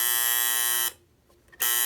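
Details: Copal model 229 flip clock after cleaning and lubricating its noisy motor: loud, harsh, steady electric alarm buzz that cuts out briefly then resumes; buzzer working properly.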